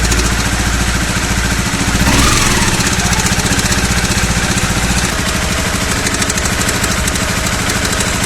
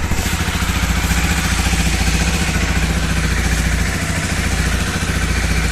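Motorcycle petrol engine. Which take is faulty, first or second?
first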